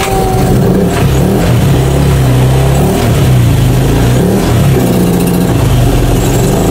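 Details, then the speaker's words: Beat FI (Honda Beat fuel-injected version 2) with hard starting, now running after adjustment but without its air cleaner fitted; engine revs raggedly with uneven stumbling firing, a misfire attributed to the missing air cleaner. "ayan ' ba pumapalya kasi wala pa rin kasi yung clear cleaner niya ayan palyado ba"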